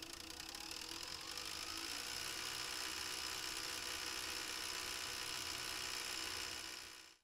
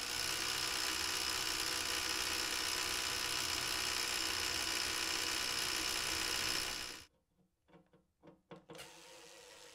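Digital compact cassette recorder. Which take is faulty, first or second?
second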